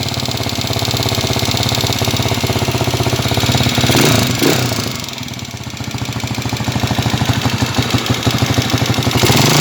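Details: TMX155 motorcycle, engine cold after resting: very loud clattering knock with metallic rattle that follows the engine as it revs and settles; worn connecting rod and bearings knocking.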